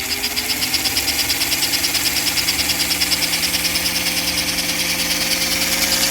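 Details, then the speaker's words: 1952 American Flyer #342 switcher after armature and commutator cleanup, new fingers, cleaned pickups, running forward: smooth steady high whir with a gentle even pulse, RPM slowly rising as the brushes reseat, no scraping or rattles; healthy motor. "guess now that sound that the motor's making is a sweet music to my ears um and the RPMs are actually picking up just a little bit more as the brushes kind of reat themselves"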